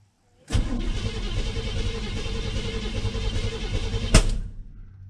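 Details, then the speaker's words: 1983 Chevrolet C20 truck, first start attempt in about seven years on a borrowed battery: cranks about three and a half seconds without catching, then a sharp backfire; owner suspects adjustments needed, accelerator pump works. "let's see what happens backfire scared me for a second"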